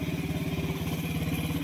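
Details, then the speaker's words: Honda Wave 125 after crankshaft replacement for a failed connecting rod that had caused a grinding-like noise. It now has a soft, even idle pulse with no knock or clatter, running quietly. Normal idle. "So tahimik naman siya. Ito yung tahimik siya ulang sa menor. So ayan na umandar na oh. Tahimik."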